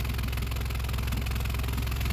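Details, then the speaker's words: Honda CR-V 4WD: raspy puffing exhaust leak at idle where the intermediate pipe meets the rear muffler, flange rotted and melted away; pushing the pipes together quiets it, fixed with an aftermarket split flange. "I guess it's been running like that for a while because everything looks like it's melted or rusted all right so now if you push these two together it goes quiet"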